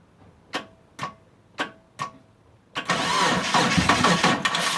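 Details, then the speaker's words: Mitsubishi Eclipse after sitting about 8.5 years, fuel pump priming, spark present, timing checked; slow dragging starter strokes then a faster churn, never fires; battery seems to be dying from sitting, and owner suspects the crankshaft position sensor. "ah hook up the battery charger because it sounds like the battery's dying out on me yeah the battery's been sitting for a while"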